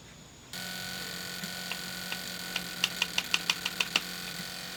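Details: Sony PS2 Slim SCPH-70012 with a used laser swapped in from another console: drive spins to steady hum, then quick irregular clicks as laser keeps seeking; weak laser failing to read the disc.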